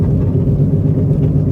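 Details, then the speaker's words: Steady low droning rumble under a car whose engine and transmission run well; owner suspects a worn wheel bearing, unsure front or back, later thinks rear with hatch open. "those wheel bearings sound like garbage. Might be one. Is that the one in the back or the front? I can't tell."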